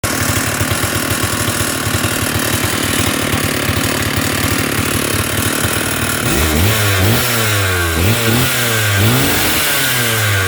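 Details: Stihl 048 Super chainsaw idling with a fast uneven rattle, then revving in bursts; loose metallic piston slap before repair. The piston was found very worn while the cylinder and main bearings were fine; a new piston was ordered.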